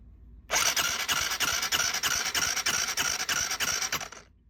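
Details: Honda Grom, compression test before teardown: even starter cranking about three beats a second with soft weak compression strokes; low compression, suspected blown head gasket.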